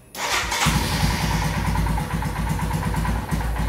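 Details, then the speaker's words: Royal Enfield Himalayan with throttle position sensor deliberately unplugged, lighting fuse removed: starts but idles with an uneven, wavering beat and dips; hiccups and sometimes dies when accelerating. "you can see the bike has started but the high thing is a bit erratic this is one thing"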